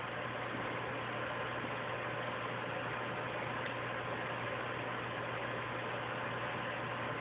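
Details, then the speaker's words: PlayStation 3 console, loud steady fan roar with constant low hum at unchanging speed, fan running flat out; owner attributes it to a loose RSX chip needing reflow, unconfirmed. "And I don't know if you can hear that sound in the background, but this PlayStation has a loose RSX chip, so it has to be reflowed."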